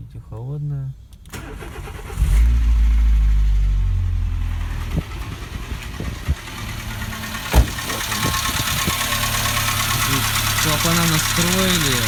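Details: Renault Logan cold start: engine catches, then idles unevenly with a light irregular tapping; owner suspects piston knock, not confirmed. Knock on cold start.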